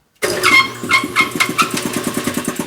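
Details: Old industrial air compressor started in cold weather, 20s °F, with its oil low: a pulsing start-up chug of about eight beats a second with brief high squeals on top. The owner suspects a shell bearing about to spin; not confirmed.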